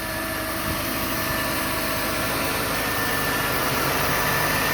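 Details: One-owner 1990 Mercedes-Benz 190E, 76k miles, new exhaust from manifold back, idling: smooth steady hum, even pulse about four per second, no knocks or ticks; engine healthy.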